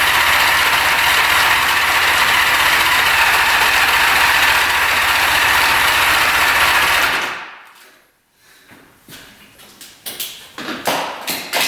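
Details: 1975 Honda Goldwing GL1000 stored 25+ years: starter churns steadily about four beats per second for seven seconds and never catches; no gas reaching carbs on reserve or on, fuel line clogged; crank no start, fuel starvation.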